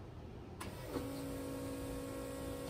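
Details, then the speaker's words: Turbo LS swap, two fuel pumps now switched through relays by the LS PCM: key on brings a steady mid-pitched electric hum that shuts off after a brief prime (intended about 3 seconds); normal pump prime. "and if you listen you can hear now with the PCM control in the pumps should just turn on for 3 seconds when the keys"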